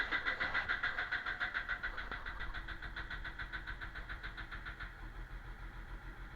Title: BMW 330D E46 135kw -06, knocking engine sound because of a bad injector